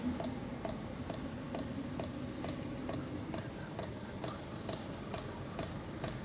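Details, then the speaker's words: 1997 Mercedes S500 coupe cabin while pulling away: light, steady click about twice a second over quiet hum, taken to be the side mirror motor that won't stop buzzing; cause not confirmed. "Uh, this thing is still going off, too. We got all kinds of sounds going on in this car."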